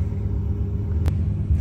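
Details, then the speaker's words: Old Glowworm boiler that had no pilot light, after cleaning the tiny injector hole with a needle and reassembling. Even, low steady roar with no flutter or popping; burner relit and firing smoothly. "So, I've cleaned that injector out, put it all back together, and now there we go. all back up and running."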